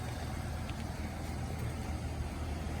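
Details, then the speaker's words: Chevrolet Lumina with 82k miles, running issue was simply out of gas, now refueled: steady, low, even hum with no misses, knocks or hunting; idling smoothly. "You can hear it's still sitting there idling, just as pretty as you please."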